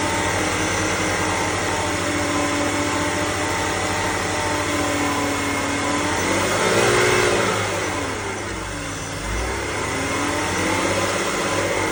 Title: E60 530i M54B30 whining noise 1500-2000RPM